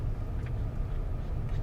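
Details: Brand-new 2025 Ram 1500 Rebel, 3.0L Hurricane turbo straight-six, 14 codes with flashing check-engine light: deep rumble with an uneven, choppy low pulse from misfires (again).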